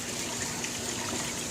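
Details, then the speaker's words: Aquarium overflow after tuning with a smaller opening cap to stop siphon noise; soft steady trickle, no gurgle or surging, much quieter than before though not silent. "it's not nearly as loud but I can still hear that hopefully that picks up on the camera you know that's much much better but it's not silent or closer to being silent"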